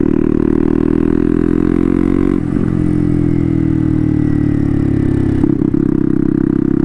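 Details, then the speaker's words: Turbo CBR-engine-swapped Honda Grom on first street ride, cold and mostly only dyno-tuned, GoPro audio: steady note sags and catches twice at very light throttle, surging in and out; rich-mixture stumble when cold, improves as it warms. "this setup has always been that way that really light throttle uh it it just kind of you know comes in and out like right here it's perfect and as it gets some heat in it it's pretty good too"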